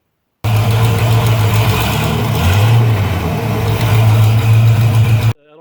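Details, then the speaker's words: V8 with stock early-80s Mustang four-barrel intake at idle: deep rumble with light ticking like a lifter tick, actually exhaust leaking from old heat riser port a standard carburetor spacer doesn't fully cover. "the biggest problem you'll have is that a standard um spacer will not fully cover this so it'll sound like a lifter tick"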